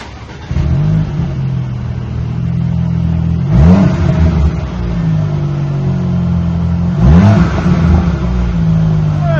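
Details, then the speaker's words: 2019 Audi Q5 2.0 turbo after rear muffler delete, front and mid mufflers and cats stock: deep steady idle with two quick clean rev blips; throaty but moderate exhaust tone, not too loud, healthy. "Well, you can hear it now at least. It's not too crazy loud."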